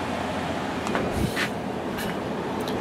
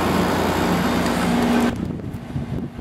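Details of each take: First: Samsung 6,300 BTU window air conditioner on fan only, high speed at 0.66 A, then switched to low. Even air rush and a low steady drone with no grinding or squeal; the blower runs normally. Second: Samsung 6,300 BTU window air conditioner with a Samsung compressor, just after the compressor starts in cool mode on low at about 3.36 A. A regular buzzing rattle three to four times a second sounds over the hum, yet the unit works and is cooling.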